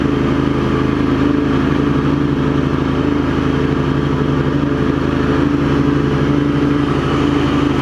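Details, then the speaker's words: Craftsman garden tractor Kohler CV20, blades engaged on 46-inch deck with new primary deck belt: steady engine speed, soft even hum, no grinding or bearing growl; deck quiet and healthy. "but you hear it's not surging or anything once it Finds Its Groove it's good and then we turn the blades on pretty quiet too not a lot of bear"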